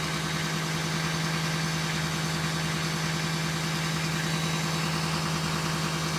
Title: LLY duramax elevated idle turbo whine